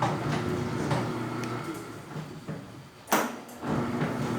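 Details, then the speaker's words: 20-year-old tilting garage gate after bushing its worn arms with PET plastic; steady motor hum while traveling, mostly quiet now, with one firmer clack at the bottom of the stroke. "a diferença é olha não houve diferença do som muito melhor é aí que tá batendo em baixo mas agora na parte do do percurso nunca bater mais"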